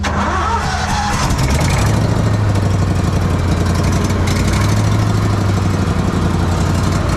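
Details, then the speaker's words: Small engine run with Sea Foam in the fuel to clean the carburetor: catches within a second and settles into a steady even hum without surging or missing; no issues so far. "I got the water faring out so far so good on this haven't had any issues yet but I just want to be certain before we start putting it to work"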